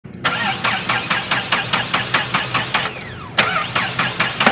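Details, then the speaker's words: 2010 Mahindra Xylo D2, ignition on and cranking: steady rapid starter cranking, about two and a half strokes per second, engine never catches; crank-no-start traced to a timing sensor wiring problem. "अब इसमें self मारते हैं तो देखिए ये start जैसी हो रही है लेकिन स्टार्ट नहीं हो रही"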